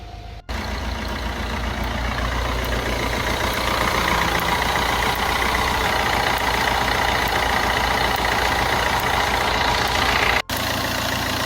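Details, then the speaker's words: Fiat Grande Punto petrol engine idling; customer reports a "chas chas" noise with the engine running. Faint sharp snaps about twice a second as static electricity builds on the accessory belt and discharges through the pulley into the engine. "qué está sucediendo en el motor de este Fiat punto Pues que se está generando mucha electricidad estática en la correa y además la está derivando a través de la polea por el motor"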